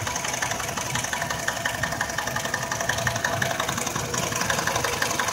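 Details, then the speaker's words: Nissan X-Trail, 346,000 km, rebuilt 2.5 years ago for oil burning; quiet cold and for 6 minutes, at 11 minutes warm idle shows even light knocking about three a second near the timing drive; drive belt removal changed nothing; timing chain suspected. "так прошло ровно 6 минут пока все ровно ничего не стучит приводной ремень снимал изменений никаких вот ровно на 11 минуте мотор начал стучать плавно"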